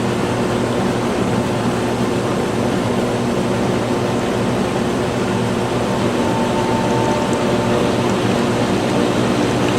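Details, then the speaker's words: Hayward pool/spa pump restarted after replacing swivel nuts and knobs, lid hand-tightened; air admitted while open, steady motor hum under rushing gurgling water as it catches prime. "So go ahead and turn it on. We admitted air to it because it was open, so it'll take a second to catch prime."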